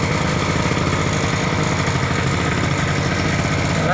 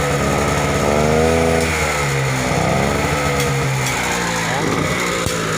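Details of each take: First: Small single-cylinder generator that ran but gave no electrical output, after its capacitor was replaced, output restored, throttle trimmed down: steady, even drone with no misses or knocks; generator running smoothly under governor. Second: Generator small engine, runs but produces no electrical output: revs rise when throttled, then sag back once released; won't hold speed on normal throttle, only stays up if throttle held high.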